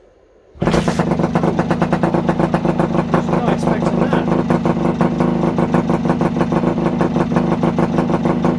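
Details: Kawasaki AR125 two-stroke motorcycle, first start after about three years stored, during basic service with carburetor cleaning: catches at once, settles into fast buzzy steady two-stroke beat, running cleanly; smoke expected.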